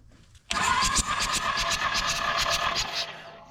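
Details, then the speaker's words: Toro Groundsmaster 223D diesel mower, abandoned for decades: compression test while cranking after WD40 down the cylinders; light, uneven beat with no firing, the gauge reading absolutely nothing; owner suspects blown head gasket, cracked block or a stuck valve. "That's not good. We're getting absolutely nothing. So, yeah. Either we have a blown head gasket, cracked block, or one of these valves are stuck."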